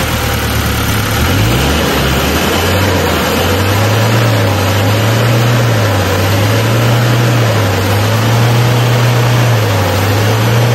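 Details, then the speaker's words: Isuzu 4HL1 turbo diesel that intermittently would not start, throwing a trouble code after revving, with two sensors now fitted: it revs briefly and then settles into a steady, even idle with no misses. It now starts on one click. "So ngayon is kahit anong revolution revolution mo so aandar na siya mga boss. So goods na goods na mga bossing."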